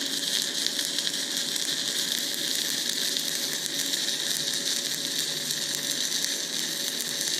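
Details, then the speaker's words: YesWelder Firstess MP200 stick welding at 90 amps: a steady frying hiss with even crackle and no strong bursts, but the arc runs cold and doesn't feel like 90 amps. "definitely wasn't bad but it's it's pretty cold for it doesn't feel like 90 amps"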